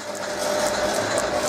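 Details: Holbrook B9 lathe with the newly mounted motor running: a steady hum with a light ratcheting tick about three times a second; some unidentified part in the drive is catching, cause not yet known.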